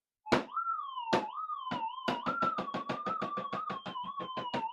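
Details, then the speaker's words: Minelab GPX-6000 metal detector with a modified figure-8 coil at high gain: a loose piece of solder moved near the coil windings makes the wavering threshold hum break into sharp, irregular false-signal cracks about three a second. "right the teor go completely Bonkers cuz that moves around you don't want stuff like that happening"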